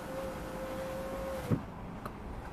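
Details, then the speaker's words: 2014 Volvo XC60 electric window, operated via the driver door module during B118E00 fault finding: steady motor hum stops with a sharp click as the window seats fully closed, then a lighter click; relay deactivating and activating normally. "I don't know if you could hear the relay deactivating when the window was fully closed, but I could definitely hear it as well when the window uh start to go up. So, definitely there's a relay uh that needs to be working."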